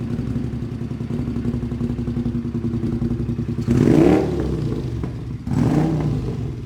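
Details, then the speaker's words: Custom motorcycle built from two bikes, first start after the engine swap; lumpy, stumbling beat with two ragged throttle blips that rise poorly; running very badly, cause unknown. "By math, we somehow managed to make 2 perfectly running motorcycles into 1 very badly running motorcycle."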